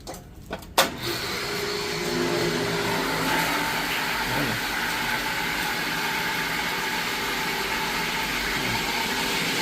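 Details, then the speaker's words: Jetmatic water pump after bearing and rubber seal replacement: after start-up the motor settles into a steady, even, quiet hum over rushing water, with no bearing rumble or rattle. Now running normally. "Maganda na yung tunog niya guys. Medyo pino? Pinong-pino naangat."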